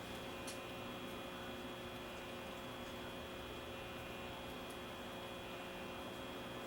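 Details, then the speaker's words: Probably 1930s-era RCA A20C tube table radio on the bench at low current with old paper caps and frayed cord: steady low mains hum under faint hiss, dial lamp lit, no station audio after cleaning the band switch; cause not confirmed. "I can hear the amplifier humming and the light is lighting up here so we know we got power give the switch a shot of cleaner nothing"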